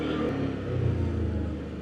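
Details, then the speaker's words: ODES Pathcross 650 ATV after fixing jerking and RPM lag when starting from a stop: even, steady engine rumble with no stumble or surging pulling away; runs clean under load. "пробаме ох како вози сега интересно, сè е решен проблемот момци"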